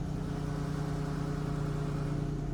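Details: 2014 Dodge Charger Pursuit ex-police car, engine with only 30,000 miles and full service history; smooth, even low idle rumble with no knocks, ticks or misses, engine healthy.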